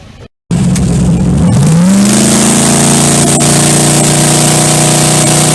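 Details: Twin turbo LS Corvette at test and tune in staging lanes: a rising whine climbs with wheel speed, then holds steady over the drivetrain roar; rear end noise, suspected bearing or a hanging brake, cause not confirmed.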